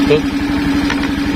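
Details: Suzuki Skydrive scooter after fitting a Mio regulator-rectifier (kiprok), battery bolt disconnected; even, quick idle pulses stay steady with no stumble or dropout; normal idle running on the charging system alone.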